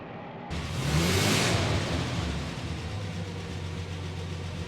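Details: Rolls-Royce Phantom III V12 imported from Japan, first start after months of restoration: engine catches and settles into steady idle with light, fast ticking on top; tappet noise, still work to do.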